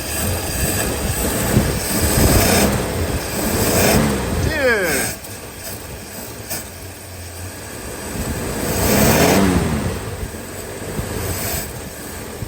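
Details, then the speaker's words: 1949 Studebaker Champion six, primed and started on old stale fuel: cranks evenly now, but the idle is uneven and lumpy, surging and sagging; it runs rough on the old fuel. "You can definitely tell it's cranking evenly now. So, that is a big improvement. Listen to that. Yeah, it's really grumpy on that fuel."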